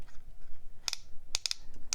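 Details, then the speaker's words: Delta Dolce Vita 2.0 14k gold piston-filler fountain pen, piston knob turned while expelling ink. Crisp little clicks in pairs and triplets come from the built-in slip clutch that prevents overtightening the piston mechanism. This is normal, not broken. "vous entendez ce cliquetis le son qui est une caractéristique de ce piston, ce n'est pas que votre stylo soit cassé, il le fait pour ne pas trop serrer cela et éventuellement endommager ce mécanisme de piston"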